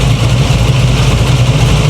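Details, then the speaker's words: 1987 Chevy Monte Carlo SS, about 480 hp, that keeps bending water pumps, warm: deep, steady idle with even low pulse, no knocks, squeals or wobble; cooling system holding pressure, belts, fan and pulley steady, healthy idle. "sounds good good good good thank you good pressure on the cooling system she's nice and warm belts are still looking good"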